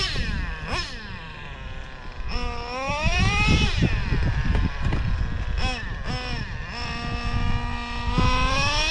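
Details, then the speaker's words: O.S. 21 TM nitro engine in a used Traxxas Revo: high screaming note sweeping up and down each pass, thin and sharp at top end; lean on the high-speed needle, richened one to two hours. "I heard it getting lean [Music] I went about an hour or two richer on the high speed"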